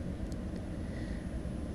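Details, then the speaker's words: Renault Zoe charging at a 22 kW point (10% added in about 6 minutes): steady even whoosh of the battery cooling fans with a faint high hum, spun up because the battery is getting warm; normal. "As you can probably hear, the battery's starting to get a bit warm, so the fans have started spinning"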